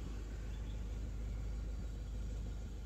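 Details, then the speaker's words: Suzuki Swift at idle, heard inside the cabin, after throttle body cleaning: quiet, low, even rumble with no surging or rpm swings and no noise inside. The previously fluctuating idle is now normal and smooth. "अंदर कोई आवाज नहीं। नहीं। इसके अलावा मैं car में हूँ। गुलबंद लगाकर मैंने उसे वहीं छोड़ दिया। वह किसी भी कोई शोर नहीं, कुछ नहीं।"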